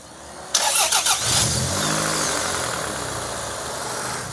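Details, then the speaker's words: Toyota RAV4 engine with plenty of oil: starter whirs, engine fires, revs, then rough idle with an uneven knock barely there at idle, coming and going with revs; owner suspects bottom-end damage. "I think it's hurt. I think it's hurt and I'm going to suggest bottom end, but... It's weird, at idle it's kind of not there and then you rev it up and it comes and goes."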